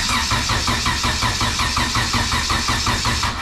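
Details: 97-ish Acura Integra GSR, unknown build: even cranking at about three pulses a second that never catches; no spark, confirmed with a known-good plug.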